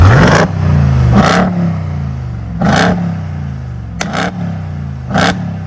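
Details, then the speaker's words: Stock Ram TRX, 702 hp supercharged Hellcat V8; deep smooth burble with five sharp throttle blips rising and falling cleanly, no misses or rattles; normal revving. "old so as you guys can tell this is a bone stock TRX and it's sounding this good"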